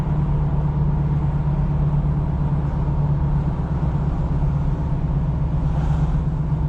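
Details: 1986 Oldsmobile Cutlass 442 V8 with rebuilt eBay Quadrajet carburetor, running after a cold start having sat a couple of weeks: deep steady rumble, even low beat, no misses or stumbles; owner feels it runs smoother, like a whole different car.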